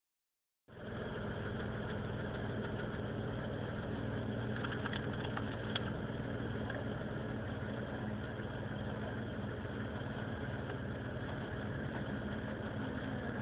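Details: Vectra GSi 2.5 V6 idling with an uneven, slightly lumpy beat around four pulses a second over a steady low hum; rough idle, cause unknown.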